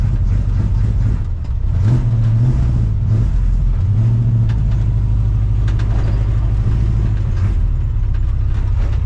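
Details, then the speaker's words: 1975 Chevy C10 454 big-block V8, carbureted, under way: low rumble surging and uneven; runs rough. Owner suspects the carburetor needs cleaning or tuning. Sand was later found in it, and the spark plugs were replaced. "Boy, it runs like crap right now, guys. Carburetor needs to be cleaned again."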